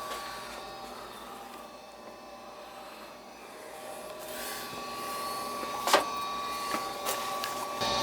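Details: Goodman gas furnace after burnt control board relay, restarted to run a cycle: inducer motor spins up to a steady hum with a few relay clicks, coming up through its start sequence cleanly; normal furnace startup.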